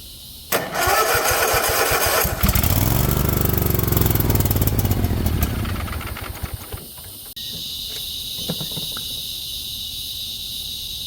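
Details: 50-inch Cub Cadet zero turn that sat a while cranks, catches on carb cleaner, runs rough about four seconds, then fades and dies: no power reaching the battery-fed fuel shut-off solenoid; owner also wondered about the pump.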